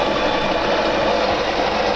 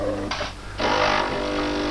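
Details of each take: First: De'Longhi coffee machine after repair for poor grinding and heavy squeaking, test: beans feed through grinder with steady, even hum, no squeak or strain; grinder, brew unit and gearbox running without extraneous noise. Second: De'Longhi Perfecta coffee machine that grinds coffee poorly and squeaks loudly: brew unit cycles with harsh grating bursts over a low motor hum during testing. Unacceptable grinding.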